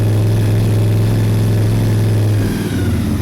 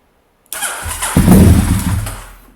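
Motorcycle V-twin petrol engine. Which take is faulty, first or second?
second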